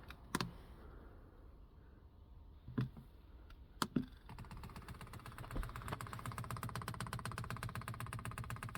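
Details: Newly wired van diesel heater, primed with fresh fuel: a few loose clicks, then quiet, fast, regular dosing-pump ticking with no burner roar. It primes but does not light and then stalls; air in the fuel line is suspected.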